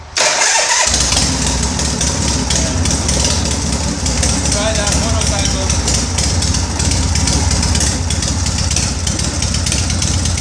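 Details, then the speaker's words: 1983 Harley-Davidson Shovelhead after primary chain, gasket and oil hose work: cranks, catches at once, then settles into a steady, even V-twin lope with no knocks or rattles; sounds normal. "this is how it should sound like. Sounds nice. Crank it up. Normal. Love it."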